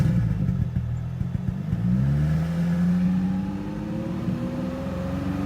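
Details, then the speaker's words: Infiniti G35 project car, engine suspected badly worn with possible piston-to-valve contact, revved: pitch climbs smoothly but exhaust note stays lumpy with irregular stumble and the car shaking; engine misfire. "And it sounds good until you really listen to it, and you can tell I'm shaking as well because the car is shaking."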